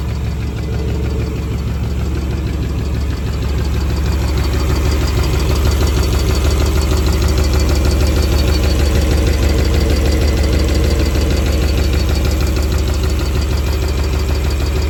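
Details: 1996 350 Vortec with carb and HEI in an 1989 Chevy 1500 at idle: steady, even tick about twice a second, unchanged after new rod bearings; owner suspects lifters, cam or valves set too tight and fears piston slap, unconfirmed.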